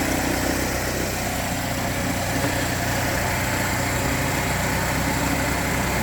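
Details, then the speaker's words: Car with P0011 code after cam and crank timing work, idling after start-up: even steady idle at constant pitch with no knocks or rattles; engine sounds healthy, scan data and leak check pending. "clean that little area all right it sounds good um I'm going to give it like 3 minutes let everything circulate"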